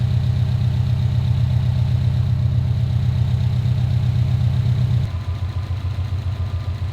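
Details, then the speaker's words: 2015 Subaru STI with a rebuilt engine, warm-up idle while bleeding coolant (temp reached 195, then dropped): an even, steady idle rumble with a firm regular beat that settles lower after five seconds; it idles cleanly and the car runs great. "But yeah, I'm stoked. Car runs great, looks great. A few little things to dial in and we'll be on the road."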